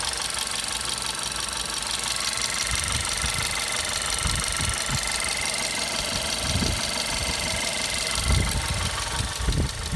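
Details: VW Golf 6 Comfortline 1.4 TSI 122 hp, cold engine: idle with fast metallic ticking on top and irregular low thumps, more noticeable cold; source unknown, owner asks where it comes from.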